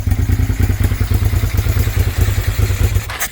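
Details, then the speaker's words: Abandoned first-gen Suzuki SV650 V-twin at idle: lumpy, uneven thumping as one cylinder drops out; a stuck carburetor float needle floods that cylinder with fuel, which runs out of the header clamp. "The the needle's stuck in this one, so it's just filling that cylinder full of fuel and running out of the uh header clamp."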